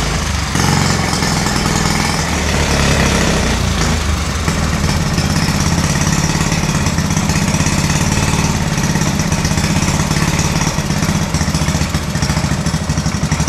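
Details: Honda Z50 minibike single-cylinder after carburetor cleaning and rebuild: steady, even putter at fast idle over outdoor clatter; carb work took and it holds, though leaking at the carburetor base.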